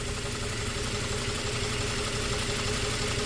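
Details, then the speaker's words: 2004 Toyota Tacoma 4-cylinder, 141,000 miles, idle after swapping injectors: uneven chuff about three beats a second with a skip. The misfire moved with the heat-soaked injector from cylinder 1. "Yep, that's right. When that injector gets heat soaked, it stops working."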